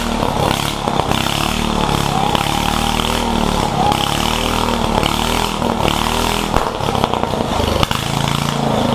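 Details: One-seater Yerf Dog go-kart with a newly installed 420 Predator engine, being broken in: small single-cylinder buzzes along at steady speed with a rough, raspy exhaust but no misses; runs normally.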